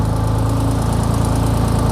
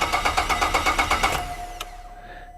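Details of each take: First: 2004 Holden VZ Commodore 3.6 L V6 with a no-crank/no-start fault (suspected ECU failure) idles steadily and evenly after being started by bridging the relay pin; smooth low hum, regular firing, no knocks or misses. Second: 2004 Holden VZ Commodore 3.6 L V6 cranks steadily at about three beats a second, pauses, then cranks again without catching: crank, no-start; suspected common VZ ECU failure, starts when relay pins 30 and 87 are jumped with the key on.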